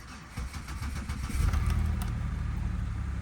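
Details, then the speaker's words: Chevrolet Impala with salvage title, oil change about halfway through interval, almost no fuel: short starter crank, petrol engine catches and settles into smooth, steady idle; no warning lights on; normal start and idle. "Started up. Sounds good. Feels smooth."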